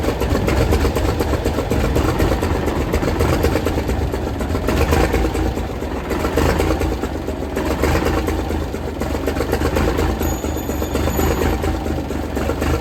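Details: 1978 International Transtar II cabover diesel, first start after sitting 3 years; heavy loud steady clatter with slow underlying pulse as it turns over and runs on its own; normal cranking and start.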